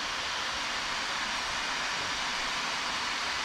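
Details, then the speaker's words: Acer Predator Helios 300 laptop after cleaning fans and greasing the GPU fan with white lithium grease, turbo mode: steady even airy rush at full fan speed with no rattle, tick or scraping; normal fan noise. "oh that's a normal sound of turbo [Applause] i don't hear the sound anymore thanks it worked"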